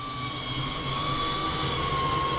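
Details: Ember RV 22MLQ E-Series roof vent fan switched on with door closed and window open; steady airy rush with faint constant whine, no rattle or scrape: fan runs smoothly.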